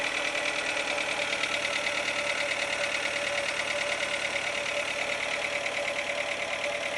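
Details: 2007 Renault Logan 1.6 8-valve engine, driven about 20,000 km with the knock: steady idle with a sharp, regular light knock in time with the engine over busy valvetrain clatter; source not pinned down.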